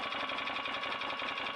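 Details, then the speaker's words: 2008 Can-Am Outlander Max XT 500, which was overheating, blowing the fan fuse and going into limp mode: the cooling fan whirs with a high buzzy tone and a fast regular tick. It was rubbing at first; the odd sound is probably due to a cheap aftermarket fan, but it works. "Sounds okay now. I mean, the fan sounds odd, but that's probably because it's a aftermarket Chinese, but it seems to be working, so all good."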